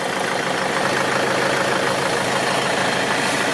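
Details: Steady diesel idle with an even, rapid patter and airy hiss during a brake booster check; the vacuum hose sucks normally and nothing is out of place.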